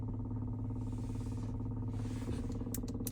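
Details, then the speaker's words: 2022 Acura MDX idling with a light, fast, uneven rattle over the hum, traced to the plastic fuel pump line flapping against the firewall. "yeah I think it's the fuel thing is flapping on the firewall"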